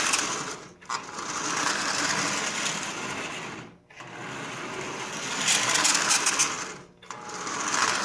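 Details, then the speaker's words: Marx 400 toy train bought used and filthy, likely stored for decades in a damp basement, on first test run. High, raspy whirring with brief cutouts; dry wheel bearings and gearing need cleaning and lubrication. "you can hear how dry it is so let's put one more drop of oil on the gearing there we go try this one more time"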